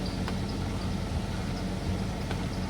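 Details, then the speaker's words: Mazda 6 automatic, first start after fixing a no-crank, no-start, no-ignition-power fault; the car had sat about a month. Steady low idle with a slightly uneven, lumpy beat and feels like it may be misfiring; the idle later returned to normal. "So ngayon ah ramdam ko dito parang palyado siya pero kasi na-stock kasi to ng"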